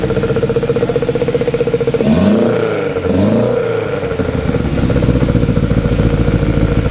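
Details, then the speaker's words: Honda Civic EF with B18C4 engine on OBX individual throttle bodies, first startup: uneven, lumpy idle with stumbling beat, fluffs through a quick rev and settles back unsteady; running rough. "running rough huh it's running a bit rough we need drive with it oh yeah sounds like it's running off a"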